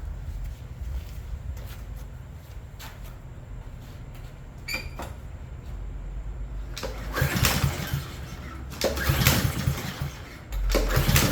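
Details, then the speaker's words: Push mower pull-start cranking with uneven chugging bursts that never catch; no spark because the loose, newer-looking kill lever safety cable doesn't pull the safety far enough back. Carb bowl gasket had been left out, leaking gas. "on these machines, that cable pulls on this safety here, and if it doesn't move it far enough back, you ain't going to get spark."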